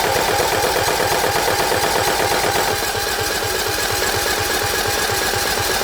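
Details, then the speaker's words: John Deere L110 lawn tractor that sat three years: steady cranking at about two beats a second never fires, with the fuel line off and no fuel coming through. The gauge shows fuel and the filter has fuel, so the owner suspects a failed fuel pump. "Nothing. Got fuel on the gauge there. That looks alright. Maybe the fuel pump is crapped out, that's why they've got no fuel on that filter."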